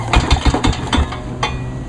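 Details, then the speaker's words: Lawn-Boy 10323 mower engine cranked over without running, with play in the crankshaft: dull low clunks of connecting rod knock that cannot be heard while it runs; the engine is to be replaced. "That way y'all can see if y'all can hear that. Hear the knock from the rod."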